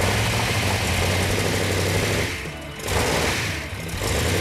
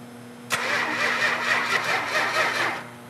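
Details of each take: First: Hemi engine, running after the ignition timing, which was originally 180° out, was corrected. It settles into a steady, even lope with a firm low rumble and no misfire; oil pressure and water temperature are perfect. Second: A 440 engine: the starter cranks steadily with the fuel shut off, showing even compression pulses, but the engine never catches. Crank, no start from no spark, caused by a faulty coil.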